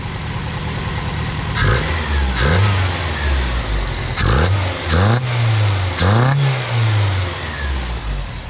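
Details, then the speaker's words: 1979 Honda Accord 1.8 CVCC, 5-speed, newly converted to a Weber carburetor, warming up after sitting a long time: crisp blips that climb and fall cleanly with no misfire or stumble. It revs freely but smokes and burns oil. "sounds great here i'll let it she barks this car she barks at this carb"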